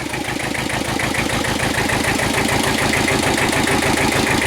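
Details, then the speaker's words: Kubota L Series (mid-1970s) two-cylinder diesel tractor, after repair of an internal oil leak causing low oil pressure: steady, even idle clatter at about 200 beats a minute, no knocks or misses; normal idle. "there we go sounds good it's a two-cylinder so it's got a weird kind of thought to it"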